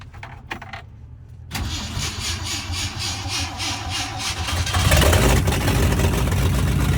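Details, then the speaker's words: 1965 Ford Galaxie V8 after carb float and mixture adjustment: it cranks and catches, then settles into a fast idle with a light rapid ticking from the top end. Dry rockers are suspected but need investigation. "there's a bit of a clicking sound coming from the top of the engine we didn't know whether this was dry rockers so we would have to do some investigation"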